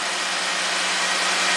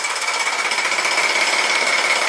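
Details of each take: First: 2017 Jeep Rubicon after repair (an oil gallery plug replaced), bank 2 intake phased with scope running: brief steady idle with no rattle or ticking. Normal idle. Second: 2017 Jeep Rubicon with codes P0390 and P0394, bank 2: the solenoid is connected for a light rev to raise oil pressure, and a fast, dense metallic rattle holds steady. VVT cam phaser rattle from low oil pressure.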